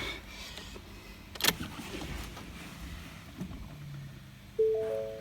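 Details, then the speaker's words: Ford Mondeo Mk5 2.0 diesel after repair of a broken high-pressure fuel pump shaft, ignition on: a brief electric whirr rises and fades as the fuel pump primes normally, with a low fuel pressure warning showing from air still in the system. "I can hear the fuel pump priming. You see that little spanner? Oh, it's gone now. I'll prime it again. That'll just get the fuel circulated from the tank around the system."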